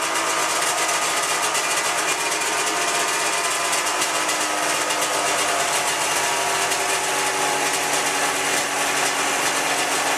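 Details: 1997 Ski-Doo MX-Z 440 fan-cooled two-stroke snowmobile, about 12K km, after replacing cracked carb flange causing air leak; high buzzy idle holding steady without surging or hunting; normal idle.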